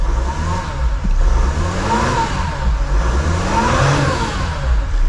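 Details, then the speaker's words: 2019 Mercedes Sprinter 3.0 diesel after EGR valve replacement and coolant refill: smooth, even run with light revving, no misses, knocks or hissing, no leak at the EGR valve; running normally, fixed. "So the engine is running, everything is quiet, everything sounds good."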